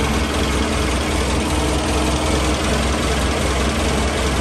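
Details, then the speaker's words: Toyota 3TC engine first cold start on a cold day after timing gear drive install, no throttle pumps, timing being checked: steady even idle with low smooth rumble and no whine or rattle from the gears; normal cold idle. "yeah that's uh that's a cold start it's a cold outside"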